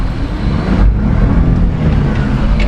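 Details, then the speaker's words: HiJet S83P mini truck driving after valve adjustment, new Maxxis MU07 Ceros tires: low smooth engine drone under road rumble, no top-end ticking, nice and quiet; normal running. "Listen how nice and quiet Minnie is now. Got her valve did."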